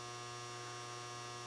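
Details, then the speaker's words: GE Cabrio washer model WTW5550X after control board repair replacing a damaged capacitor with a 1000uF 10V one; before it only hummed with a burning smell and wouldn't start: low steady even hum, no clicks or grinding, normal auto-sensing before filling. "i hear it auto sensing which is what it's supposed to do and i'm just going to wait for hopefully the water will come out"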